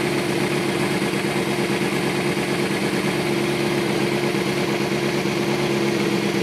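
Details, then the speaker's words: 2005 Kawasaki ZX-6R 636cc track bike, 7,219 miles, Muzzy full exhaust, Power Commander, started from cold: steady, even idle with no hunting, ticking or misfires; warmed up and running smoothly. "sounds like it just about warmed up see it's running really smooth no issues"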